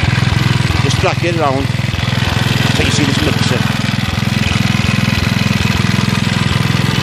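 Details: Villiers Mk 12 stationary engine running on butane camping gas via a regulator: steady, even single-cylinder putt-putt at constant speed with no misses or knocks, running sweetly.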